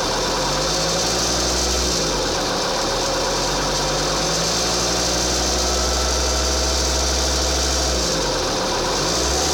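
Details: 2.4 JTD diesel idling and revved: rough, rapid rattle over the hum rising and falling with revs; strange abnormal engine noise, source unclear.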